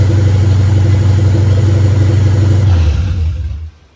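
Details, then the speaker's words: 1959 Ford wagon with Lincoln Town Car EEC standalone wiring, first start with fuel pump ground and relay still unhooked: deep, even idle, steady low beat, no misses or knocks, not smoking; normal idle. "But it's running. And it sounds good. And it's not smoking. And for all the things that are unhooked on it, it was running pretty smooth."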